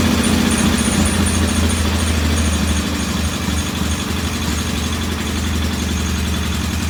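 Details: Norton P11 vintage British motorcycle twin, first start after carburetor fully disassembled and old dead gasoline replaced with fresh; uneven, lumpy idle that fails to smooth out; one carb's pilot jet not following adjustment like the other, suspected partly blocked.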